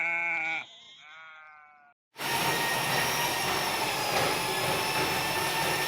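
After a few rising squeals, a steady harsh whirring rasp sets in as the motorised auger chews through a blocked toilet drain.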